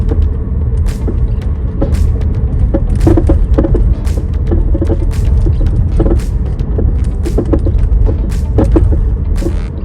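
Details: 2017 Chevrolet Bolt EV, clunk heard for about two years: irregular hollow clunks and knocks over low road rumble, also when suspension is moved by hand; cause a worn front stabilizer (sway bar) link, replaced.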